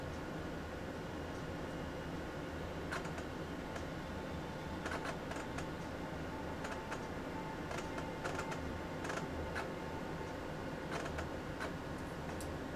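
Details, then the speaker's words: Real physical MiniScribe hard drive in an AT&T Unix PC 7300 seeking normally during boot to the login screen: irregular loud clunky clicks in quick clusters over a steady low hum. "you can hear what sounds like a real hard drive because well it is a real hard drive this is not one of the emulated hard drives that I'm using here this is actually a real physical mini scribe the good old loud ones listen to that clunky clunky clunk"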